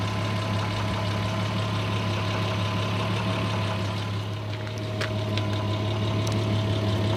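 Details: Audi A6 C4 with the 2.6 ABC engine at idle: a steady low hum with faint, irregular, quiet intermittent knocks whose source could not be located. The knocks are louder on the recording than in person; cause unknown.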